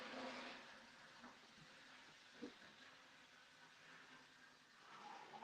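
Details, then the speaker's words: Model Flying Scotsman locomotive, warmed up after running a while, on 50% power: faint, even whirr and soft track rumble with no knocks, catches or surging; pulling freely and running smoothly. "although the fly Scotsman considering she's got run for a while running super smoothly that is on 50% power don't really need to go anymore on that seem to be pulling pulling itself quite quite freely there I'm happy with that"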